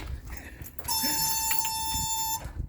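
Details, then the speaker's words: 1970 Datsun Roadster SPL311, in restoration after sitting 30 years, doors removed: a steady high warning buzzer sounds for about 1.5 seconds, probably door-related. "dude that sounds nice that beeping sound though yeah it has to do with the door probably"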